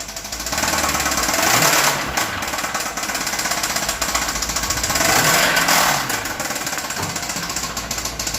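A hard, fast metallic knocking hammers through the engine and speeds up with each rev: rod knock.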